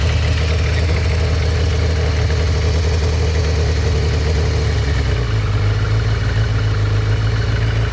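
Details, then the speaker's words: Kawasaki ZX600D four-cylinder, unmaintained over winter and non-starting, running after worn spark plugs replaced; even steady hum, no stumbles or knocks, idling around 1,500 rpm: normal idle. "the idle is it's okay yeah it's I don't know one and a half yeah yeah it works like a shop"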